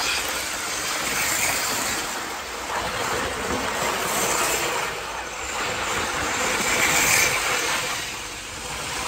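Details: 1980s Hornby APT model train after a worn motor was replaced with a modern ringfield motor upgrade kit, first power applied on test: a steady, eager high-pitched whirr with even track rumble and no stumbling; runs smoothly and sprightly.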